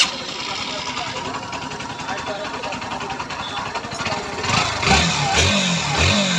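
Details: Bajaj Pulsar NS 160 motorcycle after engine repair for a noise problem and oil check: even, steady idle and clean throttle blips with no tapping or rattle; normal running.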